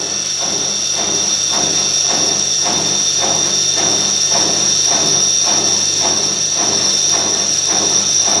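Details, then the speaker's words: Bosch Classic washing machine motor, tested not fully hooked up after repair: steady high motor whine with light even pulse about four times a second, smooth; motor turns and works. "Alrighty. Well, it works. I don't know if that's how it's supposed to sound. I've never heard one of these run before, and without it's not all hooked up."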